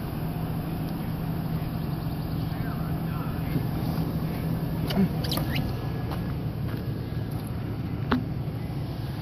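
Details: 2002 Chevy Silverado cold start after replacing the intake manifold gaskets to fix a rough, low cold idle: quiet, even low rumble with no chugging or stumbling; idles smoothly.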